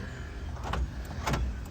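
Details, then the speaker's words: 2003 Isuzu Panther Touring Turbo manual: two quick thunks half a second apart as all door locks actuate together from the switch, crisp and even; central locking working normally. "Oke, untuk central lock-nya juga normal ya. Ini kalau dipencet gini semuanya gerak ya."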